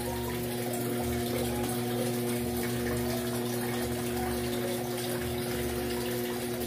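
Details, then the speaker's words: Electrolux 8.0 kg washer after overflowing-water fault fixed, set to medium level; strong even rush of water with steady hum, no sputter, filling quickly and normally before agitator restarts at the set height. "E ela agora vai acabar de encher de água ali, ó. A máquina ficou muito boa, quando chegar na altura certa ali, vocês vão ver que ela vai armar e vai automaticamente vai reiniciar ali, né?"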